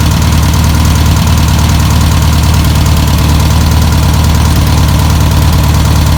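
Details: 1962 VW Type 2 van/bus flat-four, sat over 40 years, running off its own tank: low, steady putter about three beats a second, holding even throughout; normal idle.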